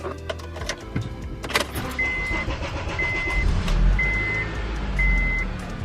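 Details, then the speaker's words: Key chime beeping about once a second, then a short crank and the engine catches into a steady idle on a 2007 Honda Accord restarted after running a while with a new starter; no engine light, normal crank and start. "turns on no engine light no nothing everything's good we're Gucci maies"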